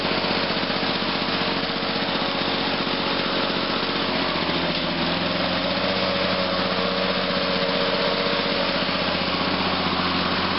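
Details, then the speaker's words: 1986 Lawn-Boy 8461 Commercial two-stroke mower on 32:1 mix, cold-started at about 61°F after sitting about a week, two pulls: a crisp, steady buzz at constant speed with no misses or surging. It runs healthy. "cool not too bad two foals I just love how get this long boy runs just got to love these two stroke lawn boys"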